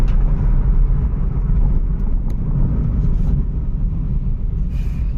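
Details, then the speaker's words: Volkswagen Polo/Vento on the move after repair of cylinder 1 misfire (P0301) with EPC light at 60–70 km/h; broken vacuum pipe replaced: steady low cabin rumble, no stumbling, no warning lights; normal running under load. "तो आप देख सकते हैं अपना light वगैरह कुछ भी नहीं है इसके अंदर। तो ये अपना ये प्रॉब्लम सॉल्व हो गया है।"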